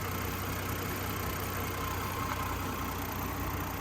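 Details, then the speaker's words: 2003 Chevy Trailblazer LTZ at warm idle after PCM replacement: steady, even idle with a low hum, no more fan-clutch ticking; idle now about 625–650 rpm instead of 600; normal idle. "no ticking I guess I can take turn the battery charger off it is an old school here old Sears charger let's take that off there's no ticking fan clutch yeah it definitely would have been taken by now"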